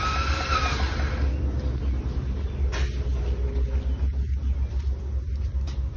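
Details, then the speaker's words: 2010 Buick 3.0 L V6 with a no-start condition, compression test while cranking: a slow rumble with weak, uneven pulses; this cylinder has only about 35 PSI, suspected from bent valves after jumped timing. "that's because that cylinder only has about 35 PSI"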